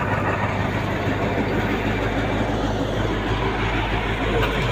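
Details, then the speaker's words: Tractor being sold after repair, diesel running: a steady, even low rumble with no knocks or misses. It runs cleanly, with engine oil pressure at 6 and gearbox pressure about 9; all normal. "Так, трактор завел. Работает чисто."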